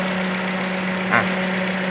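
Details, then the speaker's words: 2010 Toyota Altis with weak acceleration, idle dropping and shaking with the A/C on: rough, shaky idle with an uneven pulse from a dead cylinder; pulling coils one at a time points to cylinder 2, with its coil and spark plug suspected. "ตอนนี้อาการเบื้องต้นเราสันนิษฐานได้เลยครับตัวคอยตัวนี้คอยมีปัญหาครับคอยกับหัวเทียนมีปัญหาครับ"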